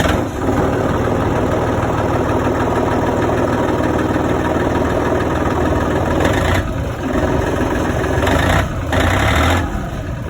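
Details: John Deere 4300 backhoe diesel after freeing locked-up parking brake with a new spring: settles into a steady, deep even rumble with only brief load dips; runs clean and strong.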